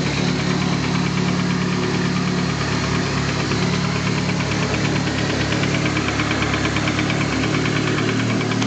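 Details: Nissan SR20DET engine bought used and installed, knocking the next day: steady idle with rhythmic knock about three per second, deep bottom-end sound; owner suspects rod knock, not confirmed.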